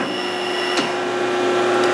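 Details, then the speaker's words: Excel CNC mill pneumatic tool changer after the leaking cylinder was replaced and the air line fixed, with controls adjusted for smooth motion. Steady motor hum and two short, clean air hisses as the changer cycles. Normal tool change. "okay here though is what this machine is supposed to look like when it's changing tools so this is a new cylinder we just added"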